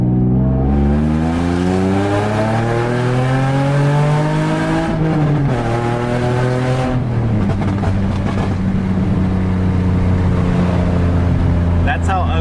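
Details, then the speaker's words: Nissan 350Z whose existing exhaust leak suddenly worsened during normal driving. It now has a loud, raw, raspy note rising and falling with revs, sounding like open headers. A major exhaust leak near the headers is suspected. "I don't know what happened but it sounds really really nasty like if I'm open headers that's how it sounds right now and doesn't sound good"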